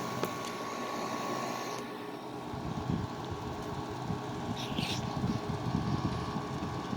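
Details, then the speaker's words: 2009 Haier 5,000 BTU window air conditioner, 12 years old, Rechi Precision compressor, first season startup on high cool; steady fan rush over low even compressor hum, no rattles or squeals, pressure sounds healthy; normal running. "well that scene is really quiet i guess it was uh it's quieter than i remember it sounds nice sounds good pressure sounds healthy"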